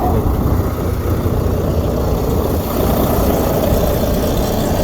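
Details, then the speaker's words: Volvo VNL semi truck diesel that was shutting off while driving, after tightening a loose main ground wire: steady even idle, no stumbling or cutting out; running normally. "as you can hear we got him back running tightened up this one was a little loose his main ground wire was a little loose"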